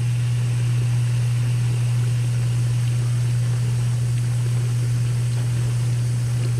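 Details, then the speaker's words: 3-year-old KitchenAid KDTE104ESS2 dishwasher after replacing wash motor/circulation pump and heating element: steady low electric hum with water swishing, no rattles or grinding; wash motor running normally, spraying everywhere. "okay go look inside to make sure things working okay it does appear that it's working okay spraying everywhere"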